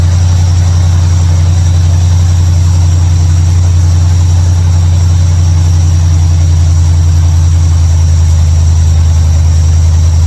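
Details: 1955 Chevrolet Bel Air, carbureted, running after ignition bypass and carburetor mixture/air screw adjustment: deep, steady idle with an even pulse, no misses, stumbles or hunting; idles much better than before, a normal idle.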